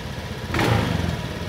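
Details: Honda Beat FI scooter, single-cylinder, idle unstable after a service, attributed to an IACV sensor error: idle swells up then sags back within a second or two; hunting idle from idle air control valve fault.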